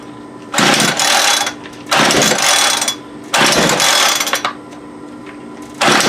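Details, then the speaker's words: Homelite UT33650A 26cc two-stroke trimmer, low on fuel, being primed: repeated rasping pull-cord strokes about every 1.5 seconds with no firing; no-start, carburetor issue suspected, possibly air-fuel mixture. "so we definitely we have a carburetor issue"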